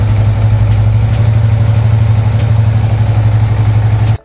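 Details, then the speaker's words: Yamaha MT-15 after an engine noise/oil circulation repair and scanner fault clearing: steady, even thump of about four beats a second with no ticking or rattle; clean, healthy idle, as good as new. "एकदम सही है। जितना नया उतना अच्छा गया। और इसमें कोई समस्या? नहीं।"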